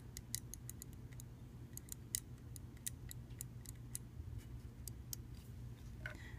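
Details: Computer mouse after repair of double-clicking button, spring reinstalled in switch: crisp single clicks at uneven pace, each clean with no doubled chatter, so the button switch now clicks normally.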